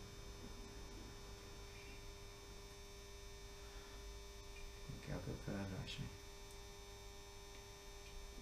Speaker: so there you have it that's the funicular railway and the humming noise you can hear is this old controller which I've lashed up which is really annoying I have to say